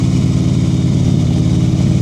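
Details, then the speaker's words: Motorcycle on a slow-speed riding practice course, throttle preloaded so the engine holds a steady, even note slightly above idle with no dips or stumbles while the rider works the clutch; normal running at raised RPM. "Listen to her RPMs. Beautiful, good. Listen to the RPMs up, that's the preload. Now she's keeping it loaded."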